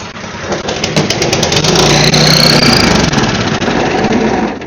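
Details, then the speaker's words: Snowblower small engine just after carburetor cleaning and reinstall, started on choke; runs loud and ragged with uneven clattering over a rising whir. Owner thinks something is wrong with the belt, and suspects the carb is still clogged. Cause unconfirmed. "sounds like there's something wrong with the belt."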